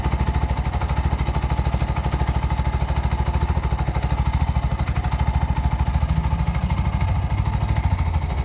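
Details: Bajaj BS6 after timing chain repair and complete refitting: even low thumping about three beats a second, no knock or chain rattle; idles smoothly and silently, chain noise gone.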